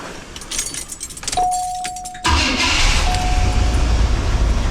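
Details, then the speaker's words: 1980 Cadillac Coupe DeVille V8, first start of the year after sitting six months through a Minnesota winter: warm restart after a brief shutdown to check for a strong smell and smoke; short crank, catches at once, steady even idle; running good. "But, uh, yeah, for the most part, she's running good."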